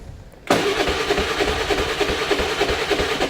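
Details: Motorcycle over ten years old, original spark plug never changed, hard morning starts, no-start after sitting ~23 days: starter whirs steadily, about three pulses a second, no firing; cranks but won't start, carbon-fouled spark plug.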